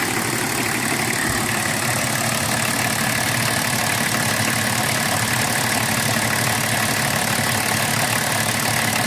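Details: BMW 325tds E36 diesel, after replacing the Bosch R515 injection pump actuator seals: busy, uneven idle clatter at about three beats a second; abnormal noise, source unclear.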